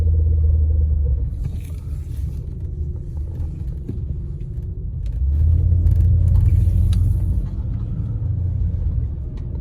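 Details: Honda real-time AWD, rear differential fluid never changed: deep rapid rumbling chatter, about four pulses a second, swelling during tight turns and K-turns; rear diff clutch chatter from old fluid.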